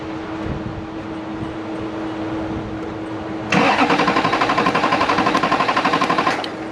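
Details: 2002 GMC Sierra 2500HD LB7 Duramax diesel, crank no start, no codes: starter cranks evenly about four beats a second with no firing; fuel rail pressure fine while cranking, earlier high-side pressure extremely high.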